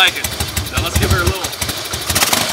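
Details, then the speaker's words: 2001 Harley-Davidson Fatboy Softail, carbureted air-cooled 88-inch V-twin, sat 5 years, after fuel system rebuild (new petcock, carb cleaned, accelerator pump): catches and settles into lumpy, even potato-potato idle, no knocks or ticks; healthy. "Ooh, son, I say that sounds pretty dang good."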